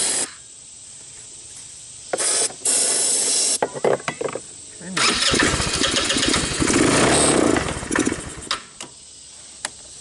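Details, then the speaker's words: Tao Tao Bull 150 ATV with stale gas and trashed carburetor: catches in short ragged bursts on starting fluid, surges a few seconds then falls away; not drawing fuel from the carb though fuel reaches it. "Seems to be running on the starting fluid. Doesn't seem to be pulling gas, or if it is, very, very little."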